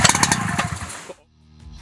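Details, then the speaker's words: WICK 280 two-stroke high-pressure fire pump, cold engine, choke closed after priming: a rough, popping burst for about a second marks the first ignition before it dies back; the choke must then be opened to prevent flooding. "opening the choke after the first ignition is a critical step in order to prevent flooding listen carefully for the first ignition"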